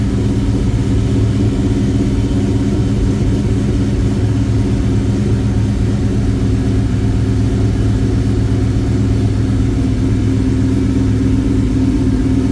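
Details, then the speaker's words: 2003 Ford SVT Cobra Terminator, V8 with a Whipple 3-liter supercharger, aftermarket pulley, American Racing headers and Bassani exhaust, after motor work: deep, steady, lumpy idle beat with no knocks or rattles; healthy. "I will try to find out the exhaust setup because it does sound really good."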